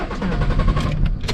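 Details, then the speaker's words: Camper van no-start after reversing into a parking spot: a short, uneven grind and buzzing from the starter motor while cranking, but the engine never catches. Cause unclear. "It's not good! Trudy you're not starting! What's going on? I can hear the starter motor? can you hear it buzzing?"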